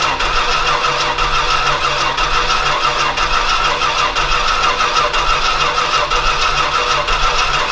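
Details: Old Stewart & Stevenson aircraft tug with a vacuum hose hooked up and plenty of fuel getting through: the starter churns at about one beat a second with an uneven, huffing rhythm; it tries to catch but won't fire, possibly low compression.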